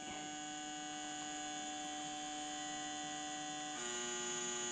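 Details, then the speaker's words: Toyota 1UZ-FE non-VVT-i engine on Link aftermarket ECU, idle control solenoid replacing factory stepper, test pulse width output: steady thin electric buzz that steps to a new pitch partway; valve cycling normally. "here is it buzzing it's making quite a noise right so I'm going to put that on to ISC solenoid"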